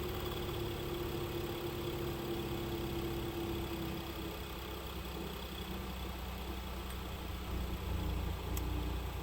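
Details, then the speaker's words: 2011-2020 Dodge Durango 3.6L Pentastar V6 idling during a passenger-side exhaust back pressure test, gauge in the green; a steady, even idle rumble with no knock, tick or huff at the pipe; no problem seen, exhaust unrestricted. "so don't really see a problem here so far"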